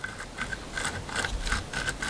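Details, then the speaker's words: Hand-turned bearing from a DIY micro hydro turbine with shaft play and water ingress: gritty, rasping scrape rising and falling about three times a second, rough corroded races. "Very crusty. Hear them? Very crusty."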